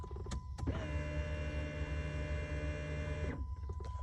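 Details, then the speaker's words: 2007 Dodge Charger after a fuel pump replacement: a steady electric hum starts at key-on, runs about two and a half seconds, then cuts off, the fuel pump priming and cycling normally, yet the car cranks but won't start. "the fuel pump is cycling."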